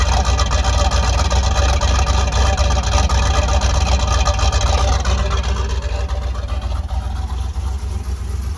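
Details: 334 small-block Chevy V8 after break-in and oil change, starting to warm up: deep even burble, steady idle, no misses, knocks or ticks; healthy.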